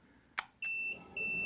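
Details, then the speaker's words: BVX-200 twin-port solder/3D-printer fume extractor at power-on: switch click, then a steady high beep repeating about twice a second as the fan starts; owner unsure why, guesses it signals a blocked filter; unit otherwise quiet. "turn it on it beeps God knows why that it's meant to tell fear if the filter is blocked"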